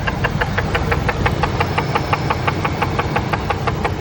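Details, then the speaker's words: Ford SVT Lightning engine at idle: sharp, even knocking about three times a second, like rod knock, but caused by the broken PCV baffle that came off inside the valve cover; fixed by replacing the valve cover. "Came out, broke. It's making tons of noise in the engine. Had me worried."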